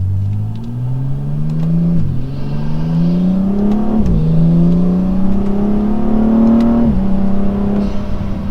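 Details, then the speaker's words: 2015 BMW M235i turbo on a test drive after the Turner Motorsports hot side and cold side charge pipes were fitted to fix a hot side boost leak: strong pulls through three gears, no hiss or flutter, boost leak gone. "so test drive went well everything is running exactly how it should have no more boost leak everything's tight"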